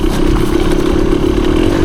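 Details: 1974 Honda MT250 two-stroke enduro on its first woods ride after crank seal replacement, cylinder hone and new piston/rings, still breaking in: crisp, even buzz at steady mid pitch over trail clatter, no knock or misfire; running healthy.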